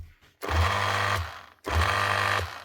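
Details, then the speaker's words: Makita HR2450 SDS drill before armature replacement: two short runs with a strained, rough motor drone and a crackling sizzle; burnt-out armature, replaced with part 517375-5. "you know it's the motor and you can hear it sizzling. You can hear it cooking inside. When it's running like that, sounds like she's struggling. It's a burnt out armature."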